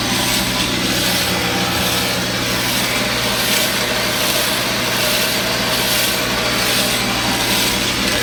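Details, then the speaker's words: Ellis horizontal bandsaw, new blade just fitted after the first tension adjustment, run briefly to check tracking: steady hum with a rough swish pulsing about once a second; owner suspects a bearing, but all bearings felt free, source unknown. "got one bearing or something making a little bit of noise there. You can hear that. I checked all the bearings. They all felt like they were free, so I'm not sure where that's coming from."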